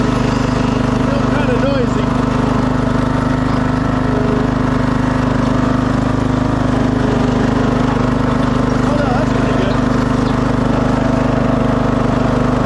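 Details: 2006 Craftsman LT3000 mower after new idler, charged battery, oil change and tire air, started in cold weather: even unbroken engine drone, steady low hum, no knocks or squeals; running smoothly.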